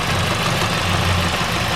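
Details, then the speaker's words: Car engine idling after a new fuel-leak gasket was made for a part that had been leaking fuel, causing a misfire and a check-engine light: an uneven, lumpy idle with a stumbling pulse. The idle is rough and the engine is unhealthy. "That don't sound good. That sounds bad."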